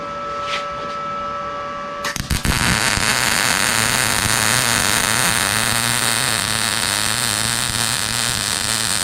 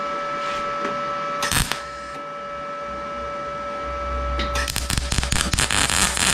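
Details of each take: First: Arccaptain MIG 200 welder, nozzle held a quarter to half inch from work after being too far away: steady, even frying-bacon crackle, a normal healthy MIG arc. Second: Arccaptain MIG 200 MIG weld with the nozzle held too far off: an erratic, spitting crackle instead of a smooth sizzle, the sound of excessive wire stickout; nozzle should be a quarter to half inch away.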